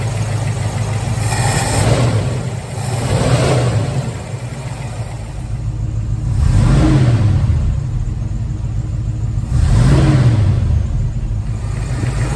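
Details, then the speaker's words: 1983 Mustang GT junkyard rescue during carburetor adjustment, mixture possibly too rich. A lumpy, uneven engine note rises and falls with throttle blips; spark plug one is fouled. "another problem uh spark plug one is fouled out"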